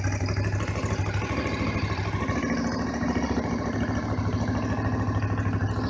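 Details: Honda VFR 750 RC24 (late-1980s bike), not started since the previous evening, on manual choke: steady, fast, even high idle with smooth rapid pulse, no misses or knocks; runs very correctly, normal high idle on choke.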